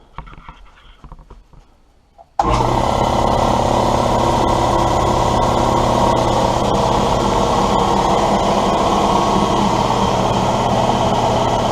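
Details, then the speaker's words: Husky compressor with Sanborn pump and motor, after new lines, pressure switch, gauges and belt tightening: motor kicks on and settles into a steady, even chugging hum, no knocks or rattles; pumping up normally. "got the belt tight so let's go ahead and give it a give it a test run here and see what happens"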